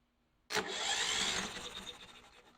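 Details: Briggs & Stratton 350777 1152-E1, bought after sitting in a basement, cranking with spark plugs removed to check spark: fast, even whirr spinning freely with no compression bumps, as expected; good spark confirmed.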